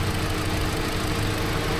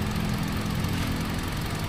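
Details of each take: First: Hyundai Accent petrol engine idling with ignition coil removed for testing: low, uneven, lumpy rumble with no firing on cylinder four; ECU already swapped for a used one and damaged wire near alternator found, spark supplies being checked. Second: Hyundai Accent petrol engine idling evenly with a steady low hum after repair, all cylinders firing equally; earlier no firing on cylinder four, ECU swapped for a used unit but the fault was elsewhere.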